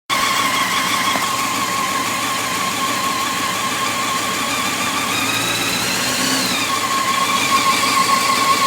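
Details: 2004 Honda CBR600 F4i at idle: crisp, fairly fast light ticking over a steady idle, constant; owner suspects cam tensioner, unconfirmed.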